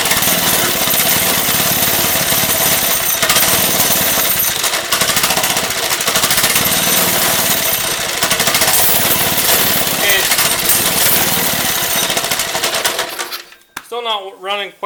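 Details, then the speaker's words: Lifan 2.5 hp single-cylinder go-kart engine with cleaned original carburetor, choke off: loud uneven rattling putter, irregular firing, then cuts off; rough running, owner suspects leftover old gas, carburetor leaking fuel badly. "right but running better so we'll keep working on it might just need to be run a little bit there might still be a little bit old gas left in there"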